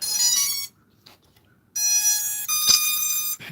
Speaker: hear those tones? They're all out of sync because it's like I said, it's got like 3 different ESCs on it.